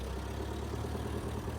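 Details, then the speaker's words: 1960s Massey Ferguson MF204 forklift, Continental gas engine, driving uphill under load after two stuck valves were freed. It now runs smooth, even and low-pitched with good power and no carburetor backfiring or misses. "all right well we're running and now we have great power move easily with no back firing this is uh we got a good running machine now easily going uphill no problems at"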